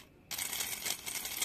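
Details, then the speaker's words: Honda Vario/Beat motorcycle fuel pump tested: harsh rattly "krok krok" whir instead of smooth hum; worn rough pump. "Suaranya krok krok krok kayak gitu biasanya. Ini di dalam tangki ini suaranya dengungnya keras nih, dulur."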